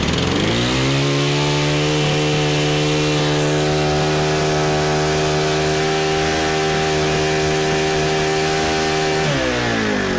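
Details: Honda FG110 tiller, GX25 four-stroke, owner-fitted Amazon carb, ran only on choke: sags to a low uneven idle and bogs before picking up; suspected untuned aftermarket carburetor, excess oil soaking filter.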